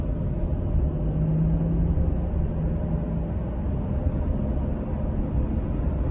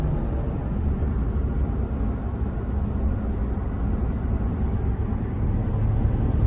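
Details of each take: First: Ford truck driving: low rumbling, grinding metal-on-metal drone under road noise that eases but persists after lifting off the throttle and while turning; failed differential bearing, ring gear backlash also to be checked. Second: Ford truck after rear differential bearing repair, road test accelerating and coasting: steady low rumble from big knobby tires, no axle whine or howl — quiet rear axle, normal tire noise.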